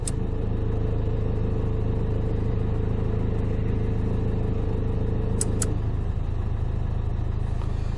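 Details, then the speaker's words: Dacia Duster with engine shaking at idle, heard from the PK belt side; light rattly shudder and whine that changes as lights switch alternator load, caused by a failed alternator overrunning pulley, fixed by replacing the pulley. "teraz alternator jest obciążony i nie ma tego tyrkania wyłączę światła słyszycie dziwny pałac kurde chodzi tutaj z tej strony włączę wyłączę"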